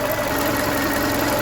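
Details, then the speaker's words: VW Golf Mk5 1.6 after a misfire was traced to faulty injector wiring on cylinder 1, with plugs, leads and coil pack also replaced: the idle is steady and even, with no stumble. "So, it seems to be running nicely now. Happy with that."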